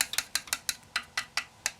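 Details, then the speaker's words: Tapping the radiator of a water-cooled PC in an old HAF 932 case after filling and priming a new reservoir: quick light finger taps with a slightly hollow ring, an air pocket still trapped. "Little bit hollow there."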